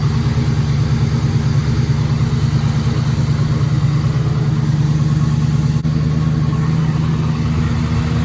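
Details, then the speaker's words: 1966 Bel Air V8 just after a water pump replacement, idling after a coolant top-off: steady low burble, even, no ticks, knocks or squeals; the periodic engine-bay noise is gone, so the old pump was likely failing. "Well, everything sounds good. Still looking at that fitting. Hopefully I won't have antifreeze coming out of it. Well, I used to have this weird noise that I can hear periodically in the engine bay, and that has gone away,"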